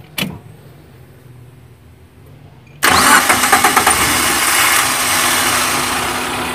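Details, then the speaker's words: Suzuki Carry Futura 1.5 injection (weak power, high fuel use) during tune-up, started after DCS carbon-cleaning fluid left in combustion chambers: catches with loud stumbles then shaky rough idle, white exhaust smoke; roughness from residual DCS fluid. "mesinnya agak kasar karena cairan DCS, dan ada asap putih keluar dari knalpot."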